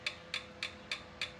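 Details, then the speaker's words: 1977 Triumph T140V 750, engine at top dead center on the second timing notch: six crisp, light clicks as each rocker is rocked by hand. Normal valve clearance of 0.006 in and 0.008 in, with the intake the larger on the 750s. "That's the sound of a lovely 6 thousandths and 8 thousandths, which is really weird because usually the exhaust is the larger of the two, but on the 750s, the intake is the larger of the two."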